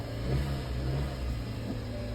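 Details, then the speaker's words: Hyundai Sonata with a very weak battery at auction: engine catches and settles into an even, low drone with a slight rise then steady running; sounds healthy after starting. "sounds good"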